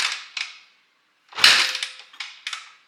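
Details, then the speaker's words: 2006 Honda CRF450X with 450R top-end conversion, freshly rebuilt, on a used 2006 450R carburetor with choke on: three or four kick-over clanks without catching; no-start because the carb idle screw was fully backed out. "I looked over here and I saw that the idle screw, like to adjust the idle, that was fully unscrewed, so it wasn't ever gonna start."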